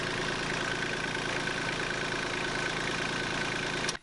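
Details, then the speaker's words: LS XJ2025 tractor, three months old, at idle: coarse, shaking diesel rumble with a thin whistle, then shut off. The vibration shakes coolant out of the flimsy-capped reservoir and has rubbed the overflow; cause not found. "It's constantly shaking the antifreeze and coolant out of it on top of the battery down below it."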